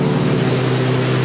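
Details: Lexus SC300 with JZ engine on new ECU Masters ECU, after setting ignition timing to 18 degrees to match actual; steady smooth hum, even firing, no knocks or misses, settled idle, sounds much different after timing change.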